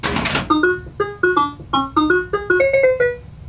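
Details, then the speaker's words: Bally Playboy pinball machine powered on via toggle switch under right side, runs power-on self test; after a burst of noise a bright chiming tune of about a dozen notes plays, its normal power-on startup. "now this takes a while because it's running a power on self test"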